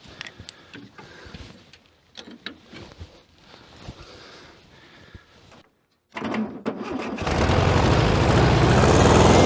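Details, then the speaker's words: 1966 VW Beetle, unstarted for over 10 years, after reconnecting an unplugged lead: cranks, fires and settles into strong even flat-four beat; running cleanly. "that sounds like a bug and Meaty didn't it"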